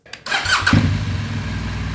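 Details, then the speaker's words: Crashed BMW GS boxer twin, first start after months of mechanical rebuild: brief crank, then the engine catches within a second and settles into a steady even low idle with no knocks; normal start. "And it actually fired up. That sound, that was the moment I finally knew Special Edition 2 had come back to life."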